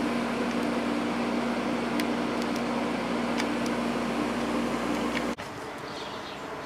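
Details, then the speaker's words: Climatrol window AC (Rotorex compressor) on low cool, quiet fan, getting nice and cold; steady airy fan rush over constant low hum, no rattles, surging or cycling; normal window AC operation. "Fan on this one is pretty quiet as well. This one seems to be working great. It's getting nice and cold."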